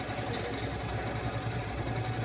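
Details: Royal Enfield Bullet Standard single-cylinder after cylinder head replacement to cure tik-tik noise: steady even thump at idle, no tick or tap; repaired, engine quiet and healthy.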